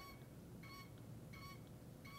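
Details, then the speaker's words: Audi CIS fuel injector on a bench tester, spray pattern test with gauge valve closed, purged then pumped about one stroke per second; short sharp buzzing chatter per stroke, normal injector chatter. "Then slow down to a rate of about 1 stroke per second. Once we slow down to this rate, the injector should chatter."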